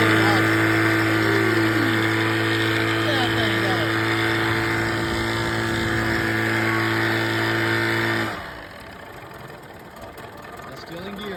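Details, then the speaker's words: 35 hp Evinrude outboard, previously overheated with a blown power head gasket, test-run after repairing a barely leaking exhaust gasket: strong steady high-revving buzz dropping cleanly to a low burble; runs smooth with no misfire or exhaust leak. "So this is our test. Fire it up. Rattle a little harder, but don't be compressing. That's it."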